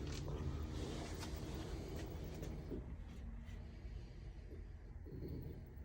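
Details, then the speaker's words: LG WM2487HWMA front-load washer after replacing rear tub seal, inner and outer bearings and spin basket shaft: quiet, even hum at high-speed spin, no grinding or growl, air conditioner noise in background, no leaks; normal spin. "There we go. Now we got some high-speed spin going. Quiet."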